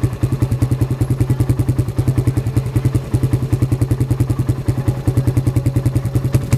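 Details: 2005 Suzuki Satria F150, 20 years from new, after cold start following sitting: single-cylinder thumps at a steady, even beat with no knocking or rattle; it started fine and is idling normally.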